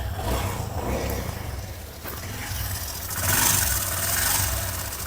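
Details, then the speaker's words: Hero Passion X Pro BS3 bike, timing chain already replaced twice but noise returns after 10–15 days: dry, fast rattle over idle swelling when blipped; timing chain rattle from worn chain guide. "देख ले कि engine से किस तरह से झरझर हट का साउंड अजीब सा इंजन से साउंड आ रहा घर घर घर घर घर इंजन से साउंड आ रहा है"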